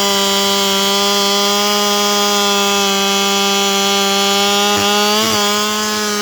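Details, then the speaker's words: 7310 chainsaw chain test in cut, rakers fine, grabbing hard with big chips: high steady scream at full revs barely dropping, running as if unloaded. "But you can hear how the thing's screaming to the moon like it's got no load."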